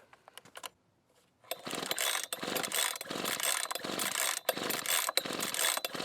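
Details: Husqvarna 125B two-stroke leaf blower, on choke: repeated recoil pulls with a strong compression rasp but it never fires. There is no spark even with another good used plug; the ignition coil was later replaced.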